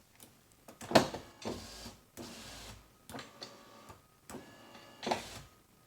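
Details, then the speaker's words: 1999 Pontiac Grand Am GT 4-door, about 20 years old, rear power window: short bursts of electric motor whirring as the switch is worked; motor runs and pulls the window down but won't push it up, pointing to a broken window regulator clip. "Okay. So obviously the motor's working. Now it's pulling down, but it's just not pushing it up."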